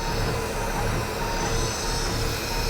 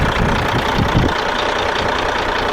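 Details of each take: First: Older Cat diesel truck at auction idling after a quick start, sounding a little tired with a steady, slightly uneven rumble and no distinct knock; more white smoke than expected, oil pressure about 60 psi; cause not confirmed. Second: Cat diesel in a short-hood truck at auction idling with a steady, even low clatter under wind noise and no misses or knocks; 80 psi oil pressure, a solid, healthy engine.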